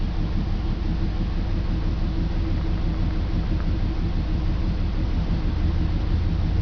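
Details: BMW 325 M54 cold start every morning: deep uneven rumble stumbling about twice a second; misfire codes cylinders 3 and 5, sometimes 4, despite new plugs, coils, crankcase valve, fuel filter, cleaned injectors; stops once warm.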